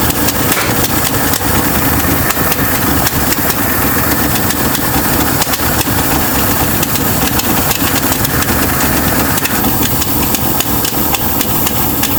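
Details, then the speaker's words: 1966 Mustang V8 first run, with a fuel problem and needing a carburetor: rough, uneven idle with sharp, irregular pops and ticks over the exhaust note, from a tiny hole in the exhaust manifold. Exhaust manifold leak. "And that popping noise? It's the exhaust manifold. It has a hole in it. It's got a tiny little hole in it."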